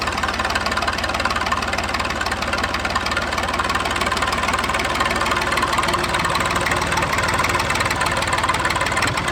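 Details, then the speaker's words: Massey 2500 tractor forklift diesel, started after the lift pump gave no fuel; it fired while cranking and settles into constant, even diesel clatter at idle with no stumbles or surging. Running normally. "So I just said, you know what, we'll just try to start it. Cracked it, and it just exploded into life."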